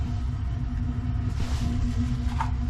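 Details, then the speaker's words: Gas water heater burner just lit during a combustion and draft check. A deep, steady rumble with a low hum and no clean roar; the burner sounds rough and probably needs cleaning. "sounds like it needs cleaned or something"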